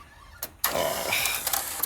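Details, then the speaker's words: Sony U-matic tape player failing to eject a tape. A brief mechanical whir of about a second with no release clunk after it; the eject mechanism strains but won't let go. "look this is what I'm talking about okay eject that and it won't eject come"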